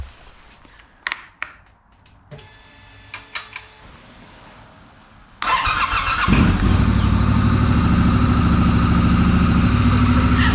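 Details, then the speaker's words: 2019 Triumph Scrambler 1200 twin starting after an earlier dead no-start: brief clicks and starter whir, then it fires cleanly and settles into a steady, even idle, healthy. It is left to warm up. "That is music to my ears. I'm gonna let her warm up a little bit, and then I need to check the tire pressure and stuff because I haven't in a while."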